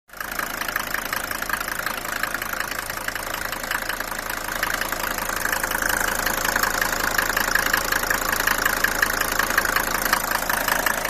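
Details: Mercedes W124 250T diesel, 245,000 km, cold idle with steady clatter plus a regular knock about three per second, after head gasket and valve stem seal replacement; owner unsure of cause.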